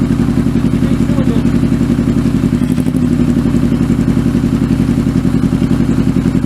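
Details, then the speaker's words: Kawasaki Z650B four-cylinder under restoration, rebuilt carbs refitted, microphone behind engine: lumpy, loping idle with irregular thumps, running on three cylinders and dying; fuel pumped into number one carb restores all four, so a carb fault is suspected. "it's only running on three cylinders again I'm gonna die yeah it dies it won't idle when it's only on three cylinders"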